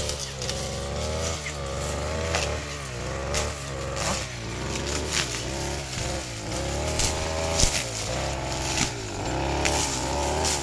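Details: Small two-stroke grass cutter engine running roughly with a wavering, snoring drone instead of a steady buzz.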